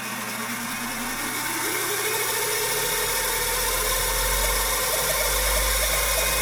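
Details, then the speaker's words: Old Finch hard drive for a Centurion minicomputer, reassembled after spindle turned freely by hand, spun up again: harsh gravelly grinding rising in pitch, even worse in person; owner suspects the motor or possibly a head crash, unconfirmed. "yeah that's uh that's not a good sound that's that's really bad and the microphone actually dulls the sound down a little bit it's even more Gravelly and gross sounding in person"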